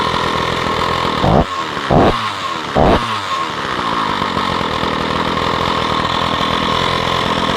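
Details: Stihl 045 AV chainsaw, first run after a new piston and rings, no clutch fitted: three sharp throttle blips, then a crisp, even two-stroke buzz holding steady. Healthy running.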